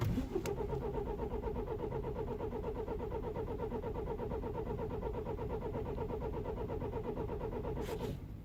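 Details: 2009 BMW E91 320i cold start after 9 hours outside at -12°C: long, even cranking that never catches, then stops; worsening no-start caused by broken camshaft timing chain tensioner, chain and tensioner replaced.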